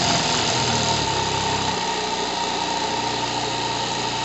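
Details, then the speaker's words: Single-acting twin-cylinder high-speed live-steam engine, unfixed on the table: rapid, steady chuffing that climbs and eases with speed and pulls evenly with no stumbling or torque problem. Normal running. "Donc, cette machine magnifique, écoutez sa vitesse, parce que ne regardez pas le mouvement, il est faux, mais écoutez la vitesse."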